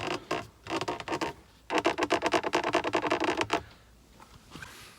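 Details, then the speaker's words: Porsche 911 (991) center console armrest lid: rapid creaky squeaks with any weight, even with new crested lid; hinge base found broken. "so here it is how annoying and there's nothing in it but it is super squeaky any weight whatsoever"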